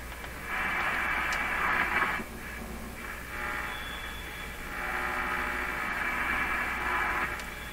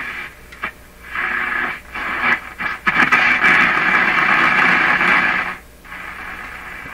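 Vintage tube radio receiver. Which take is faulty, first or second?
first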